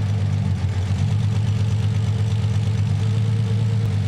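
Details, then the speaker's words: Nissan 300ZX (Z32) cylinder balance test with Consult tool: steady low idle roughens slightly when cylinder three is cut, so it is firing; the misfire is cylinder two. "so now I'm going to use the consult tool to turn one cylinder off at a time to see which one is misfiring"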